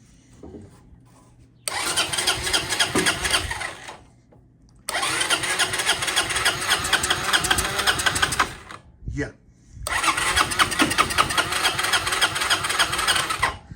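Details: 1993 Honda Helix CN250 with new coil, CDI and spark plug, starting fluid added: three long bursts of steady starter whirring with pauses, engine never fires; cranks without starting.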